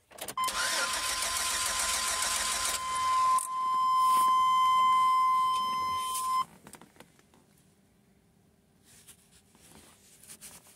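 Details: 1997 GMC Safari in cold weather, during fuel pressure test with gauge on fuel rail Schrader fitting: starter cranks steadily about six seconds without catching; crank no start, fuel pressure found fine, electrical suspected next.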